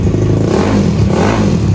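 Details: Supra X Daytona single with a new Yuasa battery after sitting long with stale fuel and a dead battery; carburetor clean. Picks up cleanly and revs with a loud exhaust rasp. No misfire or stumble; runs healthy.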